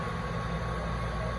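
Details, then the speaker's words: Duke multi-cabinet drawer cooler with the pressure switch cutting out at 425: a low, steady hum and even drone with no knocking or rattle. Compressor and fan run smoothly, and cabinet temperature reaches 49 and dropping. "re-plug her in and then we can let her safely run there she goes fan solenoid"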